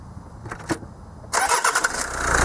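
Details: Bosch common-rail diesel on which the rail fuel-pressure sensor is being tested. The starter cranks briefly, the engine catches at once and settles into an even idle with normal injector clatter. The sensor reads correct values at idle.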